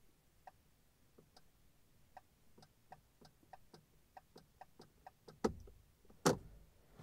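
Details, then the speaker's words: 2006 Honda FR-V 2.2 diesel, right indicator not working, ignition on, stalk moved slightly: soft uneven clicks about once a second from the dash, no steady flasher beat; failing G8N-1FS relay in module 38650-SJD-E01. "i believe i can hear the relay engaging so if i do very slightly you're gonna hear that really engaging but it doesn't keep on like clicking"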